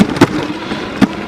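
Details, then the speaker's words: Duotts F20 electric fat bike riding off-road over rough ground; three sharp heavy clunks as the front suspension fork bottoms out at full travel, mechanical and harmless. "c'est rien de grave, c'est juste mécanique. C'est quand elle tape le fond."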